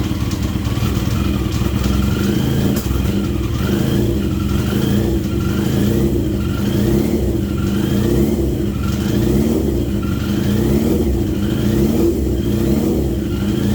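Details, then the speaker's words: 40-year-old Yamaha XJ650 four-cylinder motorcycle, freshly filled with oil, first ride in years; revs cleanly with steady even exhaust beat, no knocks or rattles. "But the engine is running really well, like it pulls nicely through first gear."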